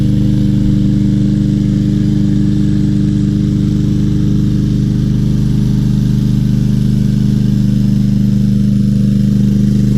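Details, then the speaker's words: Craftsman M320 self-propelled mower, 2020, 163cc Briggs & Stratton, said not to run, clogged air filter: started easily and still runs with the filter refitted; steady, even single-cylinder drone, no misses or surging; normal running. "put this in and see if it stops no it doesn't wow and it still runs with that air filter"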